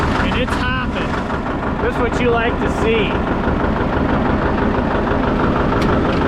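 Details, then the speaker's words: John Deere 730 two-cylinder tractor brought down to its lowest idle: slow, uneven loping hop with no knocks, a normal healthy low idle. "All right, we'll go ahead and put her away. Let's see how low it idles all the way down."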